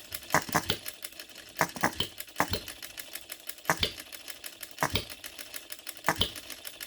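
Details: New, unadjusted OKMO Retrol B02 miniature petrol hit-and-miss engine, just restarted by hand, on 25:1 shellite with Marvel's Mystery Oil: irregular groups of sharp light clacks, under one beat a second, firing then coasting. Normal hit-and-miss running.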